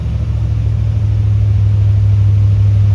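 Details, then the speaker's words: C3 Corvette: a deep, steady drone held at a fast, even pitch with no drop, so idling too high for an unknown reason; it also diesels and has a squealing alternator belt, and the timing and idle are still to be checked. "It's idling super high. I don't know why."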